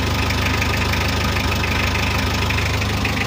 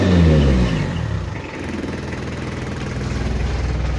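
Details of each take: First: Mitsubishi L300 diesel after pump setting, rotor head upgraded to 12mm and final gear ratio changed, new original part fitted: steady, even diesel clatter at idle with regular firing beat, no misses or knocks; runs smoothly. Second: Mitsubishi L300 diesel with free-flow exhaust, mid-restoration, before rotor head 12mm and final gear upgrade: low clatter falling toward idle with uneven lumpy beat, engine limping and shaking; timing belt suspected but later found fine, rough running.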